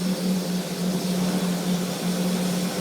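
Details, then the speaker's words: Hubler Dromader G-10 turboprop on ground run, power lever pulled back into beta then pushed forward, torque coming up; steady turbine roar and firm low drone holding as the prop flattens: normal beta range operation. "starts to go in the beta then i'll push forward we can hear it change"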